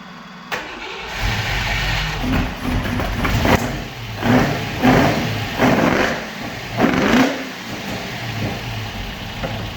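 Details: Opel Manta hatchback with Ascona front end, after about 20 years stored, still on old plugs, idle being adjusted; catches, takes quick throttle blips, then settles into an even, self-sustaining idle with no stumbling: normal idle.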